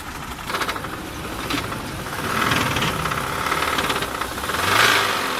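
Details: Car engine knocking at idle; loose, irregular knocking about three per second rising and falling in loudness, source unknown.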